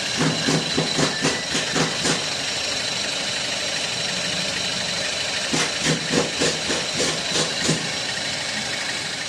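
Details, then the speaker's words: 2010 Toyota Avanza idling: bursts of sharp scraping ticks, several a second, that come and go as the crankshaft pulley, whose rubber damper has failed, wobbles and rubs the CKP sensor housing. "dari puli yang makan ee perumahan dari sensor ckp ya itu kalau kita lihat puli menggesek dari Perumahan sensor ckp"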